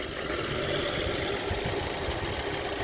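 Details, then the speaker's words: 2002 Honda CR-V 2.4L with rough, hunting idle; one ignition coil unplugged leaves three cylinders firing and the idle turns rough and shaky, which shows that cylinder's coil and spark plug work. "When I disconnect this, you see the engine getting really shaky. See?"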